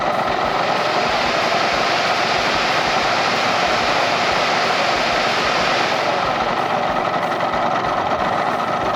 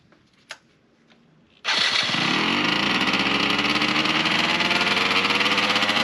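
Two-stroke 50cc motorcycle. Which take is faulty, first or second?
second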